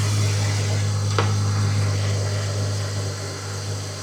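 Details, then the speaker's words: Jeep XJ after replacing torn exhaust manifold gasket (was causing P0304 cylinder 4 misfire) and welding small exhaust crack, code cleared: steady low even hum with smooth regular beat, no hiss or puffing, no exhaust or vacuum leak heard; normal idle. "I don't hear an exhaust leak. I don't hear an intake leak. If there was a vacuum leak, this thing would be idling really, really high. But this thing's much happier now."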